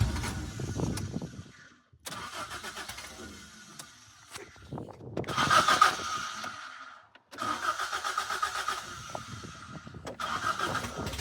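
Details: Toyota 4AGE rebuilt in 1975 Corolla KE35, first startup, no exhaust fitted: loud, open rough running with revs rising and sagging, dying twice; cause unknown; engine will not idle.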